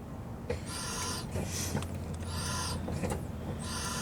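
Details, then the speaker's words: Jeep Wrangler JKU during front brake bleeding at idle: short airy hissing whistles from the brake booster each time the pedal is pumped and held; normal booster noise. "if you guys can hear the brake booster over whistling okay he's just said holding he's holding the brake pedal down"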